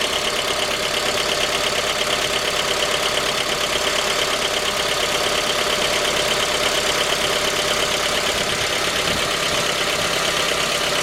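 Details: J20A engine (2010), cold idle: steady, sharp, evenly spaced metallic tapping over the engine. Began at 10,000 km and worsened after oil changes; dealer checks were normal. Found a scored crankshaft journal on cylinder 3, blamed on non-recommended oil; short block replaced.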